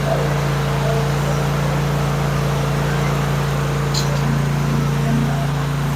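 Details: Kohler 24 HP engine after ignition coil module installation, spark confirmed: steady low hum with even, quick pulses at about three and a half per second, no misses or stumbles; running smoothly.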